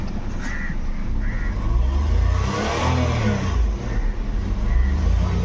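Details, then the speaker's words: Nissan Micra petrol, automatic, complaint of crank-no-start and no rev pickup, after fuel pump assembly replacement; check light on, fuel low; engine picks up cleanly on blips and settles without stumble, misfire or knock; normal revving. "Race वगैरह भी बराबर हो रही है"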